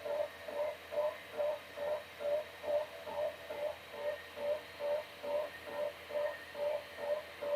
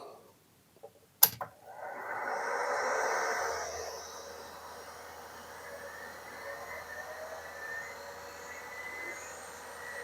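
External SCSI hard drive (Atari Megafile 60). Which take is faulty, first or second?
first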